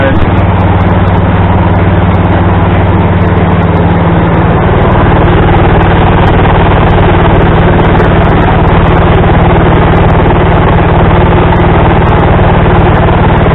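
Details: Craftsman tractor with adapted 42 or 48 inch snow blower, belt tightened with a salvaged mower-deck tensioner pulley: small single-cylinder engine with steady even thump, no belt squeal or slipping; running normally.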